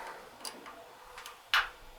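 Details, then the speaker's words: 40-gallon electric water heater with no hot water, upper element not heating: a couple of faint ticks, then one crisp click as the upper thermostat contacts close when turned up toward 150; the element still gets no power. "It clicked in, you hear it click? It clicked."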